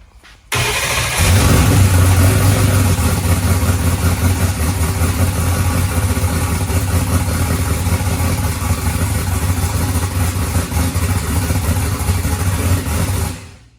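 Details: First start of the freshly built boosted small-block Ford in a pro mod Mustang with MSD cam sync after oil priming: it fires hard and settles into a loud, lumpy, deep idle with a steady beat, no oil or fuel leaks; water from the exhaust is likely condensation.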